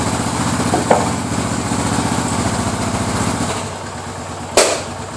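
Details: Suzuki DR 800 single started from cold and warming up: big slow, even idle thumps with a knock on the beat that disappears once at running temperature.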